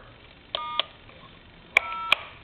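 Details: British telephone after conversion to touch-tone dialing, dialing star and pound keys: two pairs of short clean steady dual tones over quiet background; keypad DTMF dialing works normally.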